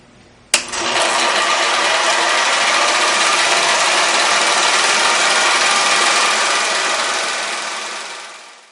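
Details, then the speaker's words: Antique Bell & Howell Filmo 16mm projector, manually threaded, switched on: a click, then a steady, even whirring clatter that holds its pace; runs smoothly and sounds healthy. "Now let's watch the projector in action by simply flipping the switch to turn it on."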